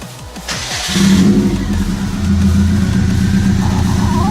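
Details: First start of a Subaru WRX STI build after fixing a missing transmission ground to the starter: about a second of quick, even cranking, then it catches cleanly and runs strong and steady.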